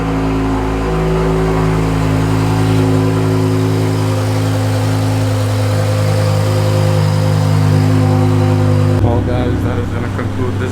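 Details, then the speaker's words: BMW E63 M6 S85 V10, nearly 20 years old, after a cylinder 8 misfire fixed with ten new spark plugs and three new coils and codes cleared: smooth, steady hum with no stumble, running normally again. "M6 is running good again. Just a slight coil and plugs."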